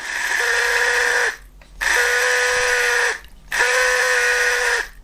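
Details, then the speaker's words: 50-year-old LEGO train motor runs in three roughly one-second bursts with a harsh, buzzy, mid-pitched hum; it sounds unhealthy and may need maintenance, cause unclear. "sound like the healthiest motor in the world but if you can hear that hang on I might need to do some maintenance on that just to check out the health of it"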